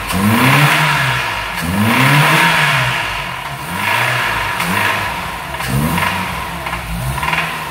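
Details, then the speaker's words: 2002 VW Gol 1.0 8-valve engine revved repeatedly: deep bottom-end knock growing with rpm; mechanic suspects a spun bearing, engine to be opened to confirm. "motorzinho rajando batendo parte de baixo agora não igualzinho o famoso até mil né 1.0 8 válvulas um golzinho spashion 2002 pelo e pela intensidade do barulho me parece ter virado bronzina né"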